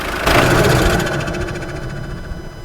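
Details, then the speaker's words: Seat Leon FR after engine swap (new 170 engine, clutch, flywheel, cambelt, different turbo), ram-air induction kit: shut off after a rev, rapid fluttering chatter with fading whoosh dies over a couple of seconds; normal turbo spool-down flutter. "oh now that is a beautiful noise and I believe that is just a Ram air induction kit that is just the turbo fluttering down"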